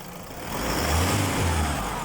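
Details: 2023 Isuzu D-Max 4JJ3 diesel after a no-crank, no-start traced to a loose contact that stopped the starter relay triggering. Revs up smoothly and settles back with no misses, clatter or hesitation; normal running.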